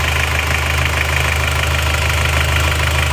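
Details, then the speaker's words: Isuzu Panther Turbo diesel after piston ring replacement only, liner not replaced, for high oil consumption, warm idle at working temperature: no blow-by smoke. Even light clatter about three beats a second, no misses; normal idle. "ini tidak ngobok sama sekali berarti kita hanya ganti ring seher saja tanpa mengganti liner atau membayar hasilnya sudah sangat memuaskan"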